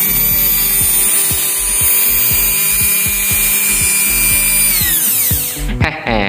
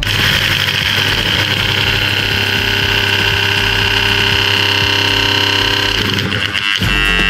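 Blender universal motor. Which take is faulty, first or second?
second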